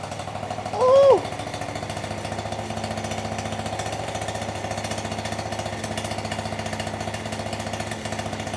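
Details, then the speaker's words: 49cc two-stroke scooter after big bore kit install with drilled-out piston, first start: fast, even metallic jingling over a high, buzzy idle; owner unsure if external or internal, the rattle traced to the loose silencer in the exhaust. "listen to this exhaust man this thing sounds good something sounds rattly I don't know if it's just something rattling or if it's something inside the motor rattling"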